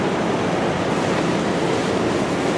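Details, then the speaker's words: City College greenhouse big propeller blower drawing fresh air through louvers open to the outside: steady, even whoosh of moving air with no knocks, rubbing or wobble. Fan running smoothly. "there's the louvers yeah and those uh those are opening to the outside and this big big propeller blower brings in that fresh air nice"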